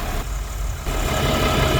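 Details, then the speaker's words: Diesel truck started after its bottom radiator hose popped off and all the coolant ran out, now refitted and refilled. Even diesel clatter at steady idle with the cooling fan whooshing, no misses or uneven knocks; normal idle, no leaks so far. "All right, time to start it up and see if it leaks. Probably should have just auto started it, but so far so good."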